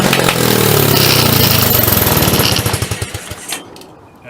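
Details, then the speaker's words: Hammerhead 250 SS single-cylinder after a tune-up and carburetor needle cleaning, first start: runs unevenly, then its firing pulses slow and stretch out until it dies; rough idle and stalling, owner thinks the idle needs adjusting. "we go. Fuck, I think I need to just adjust the idle."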